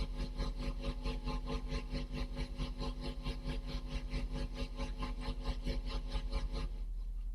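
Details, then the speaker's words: Vintage valve amplifier after resistor replacements: steady tone pulsing evenly about 1.5 times a second, low frequency oscillator now working and the tremolo back, though amplitude still not optimal. "okay you can clearly hear that oscillation now the low frequency oscillator is now working"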